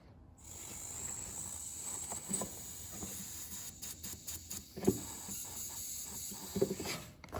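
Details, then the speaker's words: 1968-72 Corvette C3 wiper door/pop-up headlight vacuum relay valve, air blown through by mouth; soft steady hiss escaping where it should seal, a vacuum leak, so the valve is replaced. "So it's kind of working, but it's actually not working because it has a vacuum leak."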